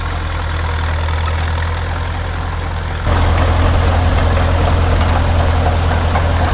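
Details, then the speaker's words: 1950s Caterpillar D4 dozer, diesel running after sitting at least 20 years: deep, steady thrum with even firing and no knocks or misses, getting louder partway through; normal running. "The diesel motor, she's a kitten, of course, right? It's a Caterpillar. It runs really good."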